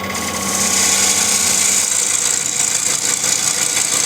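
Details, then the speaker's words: Wood lathe turning an ash bowl blank, push cut with the nose of an M42 bowl gouge, flute at about 10 o'clock: steady lathe hum under a rough fluttering rasp with faint rhythmic chatter; gouge vibration limits cutting speed. "I'm getting that vibration again. So I cannot go as fast as I would like."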